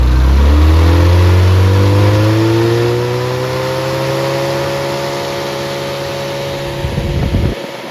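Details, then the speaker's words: Rebuilt Triumph Spitfire 1500 four-cylinder, warm (~160°F), 9.5:1 compression, 185-195 psi, reground 270 cam: strong rev dropping away smoothly before shutoff, fuel pump noise audible, even firing, no knocks; healthy. "so we'll fire it up let you listen to it run and uh that noise is the uh that you hear is the fuel pump here we go"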